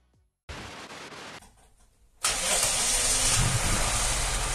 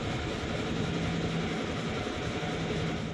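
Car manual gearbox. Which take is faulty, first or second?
second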